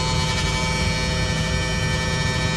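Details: Bus producing a steady, loud electrical buzz with a low hum that never changes; owner calls it some kind of alarm and was told it is normal; source unknown.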